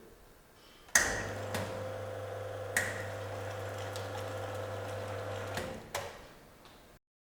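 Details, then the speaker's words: Sanremo espresso machine with preinfusion during brewing: sharp click, steady pump hum, another click, then a final pair as the pump stops; normal preinfusion valve opening, closing and reopening. "If your machine is preinfusion enabled, however, you will find that you will hear a multitude of clicks as the valve is opening and then closing, and then opening again to resume the remainder of the brewing."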